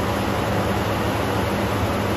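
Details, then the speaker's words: 1979 Chevy K10, small block 350 V8, abandoned 20 years, restarted after extra fuel (carb may be leaking a little): a steady, smooth idle with no ticking, knocking or stumble. "this small block 350 sounds amazing really smooth no valve train noise no"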